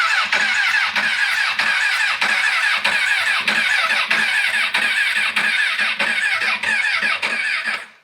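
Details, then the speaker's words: Crashed CBR1000RR, reportedly run with no oil and suspected blown head gasket, with no fuel pump prime heard and a loud buzzing; steady starter cranking about a pulse and a half per second, never firing — hollow no-fuel crank; fuel delivery suspected, unconfirmed. "I just can't get that fuel pump to Prime and just the way it's cranking I can tell is just not getting fuel it sounds like it's getting everything else it's just that Hollow crank of no fuel"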